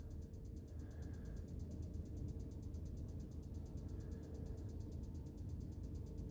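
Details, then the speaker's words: Motorhome fridge set to gas: the igniter ticks rapidly and steadily over a low hum because the gas supply isn't switched on, so it will go to fail. "it's trying to draw the gas through but there's no the gas isn't switched on"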